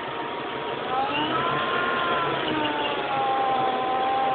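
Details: 2003 GT with Kenne Bell supercharger fitted about 15 months: hum rising and falling with revs, much louder on the left side; owner suspects a pulley with a bad bearing rather than the blower.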